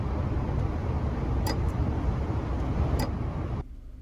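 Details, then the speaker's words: Nissan Titan/Armada/Infiniti power module self-test with ignition on, engine not started; after the light sequences, relays click on and off about five times near the front of the truck before the fan turns on, normal sharp clicks over a low rumble. "then after all of the light sequences are done you'll hear some relays that start clicking on and off it's it's very noticeable i think it clicks about five times if you get close to the front of the car you'll be able to hear it clicking"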